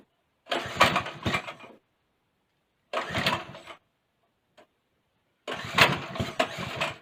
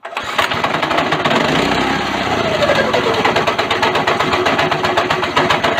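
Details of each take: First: Go-kart engine after a governor bypass: a few short cranking bursts, then it catches and runs steadily and strongly, revving cleanly with no misses. The seized clutch is heard grinding afterward. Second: Go-kart small single after a governor bypass with the airbox reassembled: the engine howls at a constant high rev and never drops back to idle because the throttle is stuck wide open after a mistake in the work.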